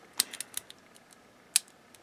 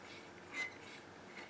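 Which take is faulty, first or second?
second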